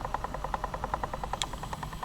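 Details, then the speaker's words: Sony WM-FX661 Walkman, belt replaced after the mechanism had seized, playing a tape: a quick, regular chug of about ten pulses a second, like a choo-choo train, with bad wow and flutter from the tape mechanism. "It seems to be working, but if you listen carefully, do you hear? It's like a choo choo train."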